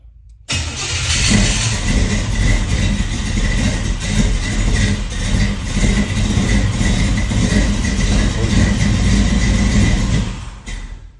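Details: Car with an Aces Killshot fuel injection install, first start after plumbing is done; earlier no-starts came from the ECU dropping below 10 volts while cranking. Short crank, then a steady, even, deep idle with no misses; clean start.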